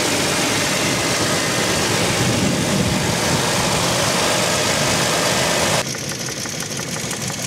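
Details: 2007 Toyota Land Cruiser Prado 120 with the 1GR-FE engine at idle: a regular light knock at about three per second, heard outside but not from the cabin; it occurs only at idle and fades as revs rise while driving. The source is unclear.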